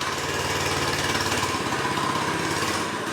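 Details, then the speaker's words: Go-kart with replacement Predator engine, started in two pulls, a year and a half after the swap: smooth, fast single-cylinder buzz holding steady speed with no misses, rattles or surging; running like a top. "where we replaced that Senator motor two pulls and it's running that's a year and a half later ain't it so running like a top"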